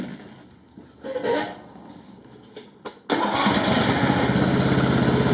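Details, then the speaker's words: Husqvarna LT1538/LT1597 lawn tractor with a replacement engine and a rebuilt exhaust muffler, first start on sprayed quick-start fluid: quiet handling and cranking, then it catches sharply and settles into a steady, even run of about 200 beats a minute. "quick start i'm sure i've got some of that here somewhere engine starts there we go yep probably way too much but it'll do"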